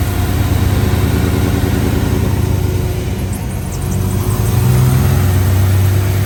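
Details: 1955 Chevrolet Bel Air, 350 crate V8, 700R4 automatic, restored 6–8 years ago: deep, even idle with steady rumble and a smooth rev blip; runs clean.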